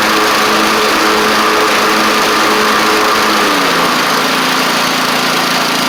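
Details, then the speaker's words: Troy-Bilt TB42 rider, Powermore 541cc: even, steady buzzing run with a slight pitch drop and no misses or knocks; it blows some smoke on first start (suspected valve seals) but clears within 15 seconds and runs great. "but uh it clears right up within about 15 seconds and uh runs great."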